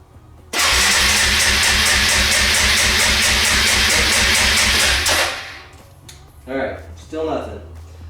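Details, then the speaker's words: Suzuki Eiger ATV after improper storage, choke off: starter churns the engine at an even beat for about four seconds with no firing; cranks but won't start, could be spark or fuel, carburetor suspected. "the engine is turning over you can hear it going but there's no ignition of the fuel and so the engine is not starting"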